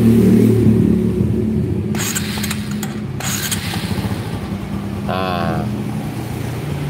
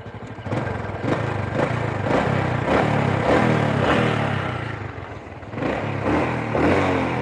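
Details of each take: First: Honda Supra motorcycle that lacks power and tops out at 100 km/h: at idle a light, steady tapping knock rides over the single's thump; mechanic attributes it to a rough, worn crankshaft bearing. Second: Supra motorcycle that was down on power and topping out at 100 km/h: after adjustment it pulls through smooth revs with no knocking "godok" noise, running normally; exhaust leak noted afterward.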